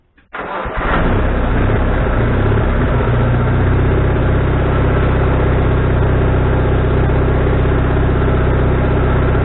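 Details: Wood-Mizer LT40HD sawmill engine with a new carburetor, after further adjustment: it catches, runs up briefly, then settles into a steady low drone with no hunting; the surge has calmed, though the needle may need another half turn.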